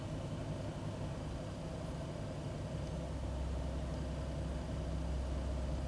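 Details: 2001 Ford Taurus after cleaning the idle air control valve, air filter and MAP checked: low, uneven idle pulse that swells and never settles; still rough idle, IAC valve may need replacement.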